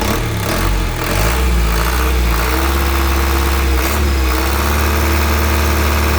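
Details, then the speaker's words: 2014 Isuzu Elf Long NKR71 diesel truck revving up and settling back with a smooth, even, crisp note; no knocks, misses or smoke from the oil filler. Normal diesel engine revving. "Semakin kenceng suaranya, semakin kuasar suaranya. Isuzu apa, khasnya Isuzu kan seperti itu ya."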